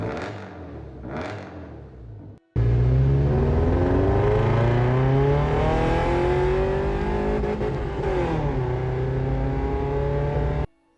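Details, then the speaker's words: Subaru Brumby with swapped EJ20 engine from a Forester, first runs, exhaust fitted without gaskets: engine revs hard and climbs smoothly with raw raspy edge; exhaust leaks at ungasketed joints. "you can hear 47 exhaust leaks though but it doesn't have any gaskets still doesn't have any gaskets to this day"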